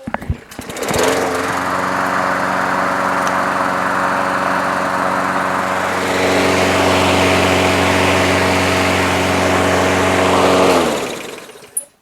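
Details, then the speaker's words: Craftsman push mower, Briggs 6.75 Quantum auto-choke engine after swapping in another carburetor: starts and holds a steady, even high-speed buzz for ten seconds without hunting or surging, then shuts off; runs much better. "what gives this one runs much better"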